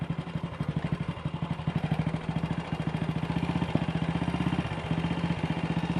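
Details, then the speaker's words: Single-cylinder motorcycle with Wassell Evolution (Amal Concentric Mk1) carburettor after fixing a twisted, dislodged needle clip: quick, even thumping with no pops or misses; idle a bit fast, throttle stop screw needs adjusting. "kickover still a bit fast, but I might need to adjust the throttle stop screw."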